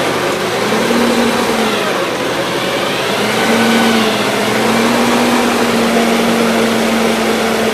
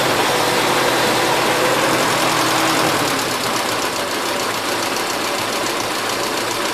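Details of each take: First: 1977 Gravely GMT 900 after a carb cleaning, with old gas still in the tank: steady small-engine drone of slightly wavering pitch; it idles well only on full choke, and the main jet could not be removed for cleaning. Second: 1977 Gravely GMT 900 small engine, warmed up with the choke off, running a mix of old and fresh gas, carb not cleaned, after main carb adjustment screw tweaked: steady, even drone with no stumbles or surging.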